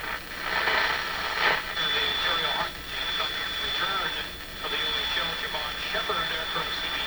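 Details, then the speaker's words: Sony TR-712 transistor radio after replacing three little green capacitors: plays steadily but harsh and fuzzy with a gritty edge, same as before; cause not yet found. "well i think it has exactly the same uh fuzzy sort of sound to it again you could listen to this radio but it's not where it could be"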